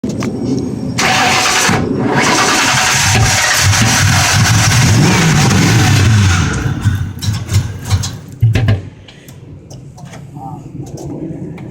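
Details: 1997 Ford Mustang GT cranks and stumbles, catching and revving unevenly for a few seconds before dying; starts and runs fine then days later won't start; fuel pressure checked and timing chain replaced, cause unknown.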